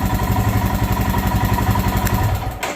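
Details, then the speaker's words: Royal Enfield Himalayan single, hot, after idle set with stubby screwdriver with tank lifted. Even thump settling cleanly at about 1100 rpm; healthy warm idle. "I think you're going to find your bike does exactly what it's supposed to which is goes right to about 1100 RPM just like"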